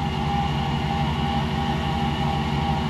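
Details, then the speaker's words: 1995 Chevrolet Silverado 1500 4x4 extended cab, V8, automatic, farm truck: engine idling with steady thrumming pulse and thin constant whine; noisy A/C compressor, inspector suspects it runs dry needing lubrication/oil; engine otherwise runs well. "Ouais, à mon avis il tourne il tourne à sec. Bon sinon le moteur lui tourne bien. Ouais, il va faire quelque chose sur ce compresseur parce que c'est pas c'est pas agréable."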